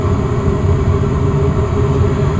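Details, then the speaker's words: Westinghouse gas furnace in attic, blower just kicked on at its usual slow starting speed before switching to high; steady even low hum, no knocks or rattles. Normal blower low-speed run. "The fan always comes on at a very slow pace. Now since I turned up the temperature a little bit higher, the fan is going to go into high-speed mode."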